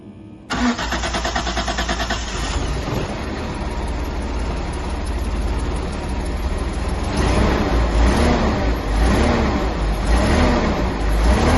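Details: 1983 Datsun 280ZX that sat 18 years: short crank, catches at once, steady idle with a few light throttle blips; normal start and idle.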